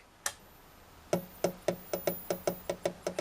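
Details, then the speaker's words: Rediffusion Mk 3 vintage TV fed through a variac, with 300 V HT rail very low and pulsing: sharp irregular clicks, about four or five per second, as the variac chatters under overload. Line output stage fault suspected, not confirmed. "something's gone off and I'm not even sure if I can't smell a slight smell of burning but if we turn it on listen to the variac"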